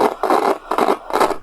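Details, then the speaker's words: 1990s Sony radio-cassette player: four harsh scratchy bursts about every half second crackle through the speaker; dust on the potentiometer contacts, fixable by cleaning. "I called it the WD40 problem uh the potentiometer inside need to be clean with some oil or something all the noise is a dust on the connection of the potentiometer so it can be fixed"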